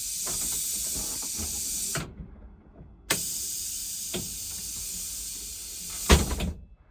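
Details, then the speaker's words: 2008 International IC RE300 school bus, rear engine: the pneumatic door system was just fixed with a replaced regulator. Two clean air hisses as the door opens and closes, ending in a firm thump. The door works properly, though closing is slightly slow. "So, just a full demonstration of the door operating."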